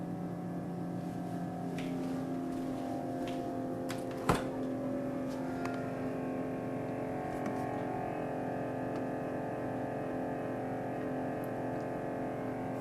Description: The loud noise made by a new built-in SubZero refrigeratory-freezer, with the noise coming from the freezer compartment.